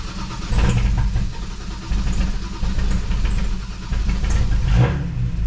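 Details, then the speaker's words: BMW 335i N54, full bolt-on, after machine-shop head replacement, cold start after sitting a couple of days: very rough, surging, stumbling, idle hunting before it settles. It stalls if left running and won't rev past a certain rpm. Cam timing is incorrect because the two camshaft sprockets were fitted incorrectly. "that was rough i haven't started it in a couple days so um that was really rough"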